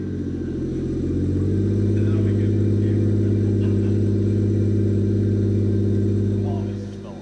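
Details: Toyota Aristo turbo engine firing up after new 4-inch downpipe, recirculated wastegate dump and heat blankets fitted, valved exhaust; starts and settles into smooth, deep, even idle with steady low rumble, no misses or knocks; normal idle.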